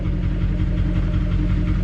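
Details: Duramax HD diesel, 229,000 miles, after start with glow plug light off: steady low idle with even clatter, no irregular knocks or misses; normal healthy settled idle.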